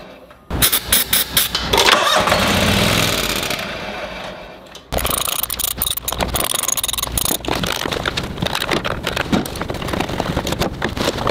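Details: Toro Wheel Horse 522xi lawn tractor that ran when parked four months ago: starter grinds engine over in long bursts with steady compression pulses but never catches; fuel pump suspected, not confirmed.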